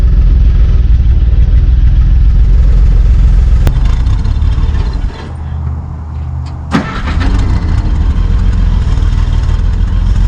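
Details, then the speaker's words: 1955 Plymouth Plaza two-door wagon, formerly locked-up engine, first drive after 42 years sitting, clutch in first gear: rough low idle sags and dies, a clunk, then catches again; keeps stalling. Owner suspects the brakes are too tight. "I'm not really sure what's going on. It keeps on dying. Yeah, it just keeps on dying."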